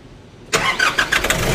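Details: Nissan NV350 with a newly fitted battery: quick burst of three short cranks, then the engine catches and settles into a steady idle; starts cleanly.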